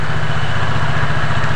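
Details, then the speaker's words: Yamaha Mio Soul GT scooter after repair of a crackling noise in the CVT area, caused by the kickstarter pinion shifting forward and hitting its mating gear: steady, even idle with no grinding or rattle; normal idle. "Oke ini sudah aman rekan-rekan ya tidak ada suara lagi di bagian cpt-nya yang berisik tadi"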